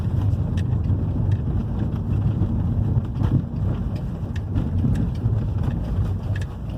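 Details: 2011 Hyundai i30 2.0 gasoline road test after replacing both stabilizer bar links and stabilizer bar bushings: steady road and tyre rumble over irregular pavement with no clunks; the former suspension knocking has stopped.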